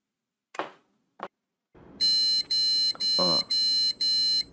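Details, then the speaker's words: Gigabyte B660M DS3H board with i5-12400F and Gigabyte RTX 2060 powered on with no monitor connected: after switch clicks, about five repeated shrill POST beeps, roughly two a second, caused only by the missing display connection. "비품 소리가 납니다 모니터가 연결이 안 되도 잎이 품 소리가 나는 거예요"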